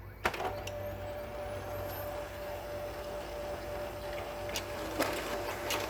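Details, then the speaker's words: Problem M602 printer warming up with a cartridge that works in another machine: steady mid-pitched motor whir with sharp clicks as the feed stalls; jams at the toner cartridge, suspected drum-rotation engagement fault. Paper jam noise. "Usually you can tell it's not going to print because it'll start making a weird noise when it's warming up here. See, like that, there's a noise it's making right now. I will bet that it will jam on this test print."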